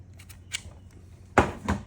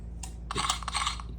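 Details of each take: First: Mercedes W211 electronic ignition switch (EIS), the new cloned replacement for a faulty unit that clicked and locked repeatedly: one sharp click and a softer click on key insertion, then silence, which is normal locking. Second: A faulty Mercedes W211 electronic ignition switch (EIS) on an emulator clicks sharply and irregularly over a low hum, locking and unlocking repeatedly on key insertion, giving intermittent starts; replacement recommended.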